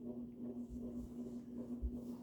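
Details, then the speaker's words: June 1984 Evergo 52" hugger ceiling fan, model 4E-6LW P35, orange cast-iron motor, on high: steady mid-pitched buzz swelling and fading in a slow cycle; cyclic motor buzz, owner suspects motor slightly out of round. "They're probably just all a little bit out of round, because it does have a bit of a cyclic buzz."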